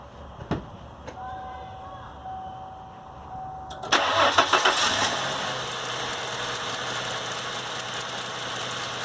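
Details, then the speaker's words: 1997 Ford Mustang 3.8L: the engine cranks and catches, then a steady high-pitched squeal rides over the idle from a worn serpentine belt, which was then replaced. "we're gonna replace the serpentine belt it is squeaking I'll start it so you can hear it it's pretty bad"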